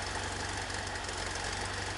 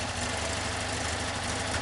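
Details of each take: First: 1973 VW Super Beetle, 1745cc engine, Mofoco 041 heads, hydraulic lifters, Dellorto FRD 34 carbs jetted for 1415cc: idles too high at about 1,400 rpm, fast and lumpy, not running cleanly; left-hand carburetor suspected (blocked passage found). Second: 1973 VW Super Beetle, 1745cc engine, Mofoco 041 heads, hydraulic lifters, Dellorto FRD 34 carbs jetted for 1415cc: smooth even warm idle, no valve train clatter; lifters quiet, intakes audible from above, old gaskets not leaking.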